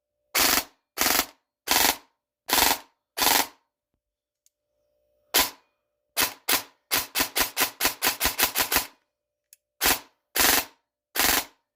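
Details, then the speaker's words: A&K M16A3 airsoft rifle after a misaligned-gearbox fix (ZCI gearbox, ZCI high-speed motor, Gate Aster mosfet) on a 3-cell 1200mAh battery, test run without barrel and stock. Crisp single shots and a rapid burst; it fires cleanly. "Before I put the barrel and the stock on, I want to give it just a test run. See how it's working. See if it is working."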